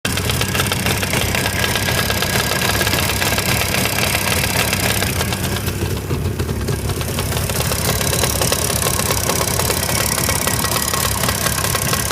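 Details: Jawa 638 two-stroke about 80 km after an engine overhaul: cylinders bored to 6th repair size, Czech parts, Polish replacement crankshaft. Busy idle with an irregular knock about three times a second over the exhaust rattle. Origin unknown. Engine knock.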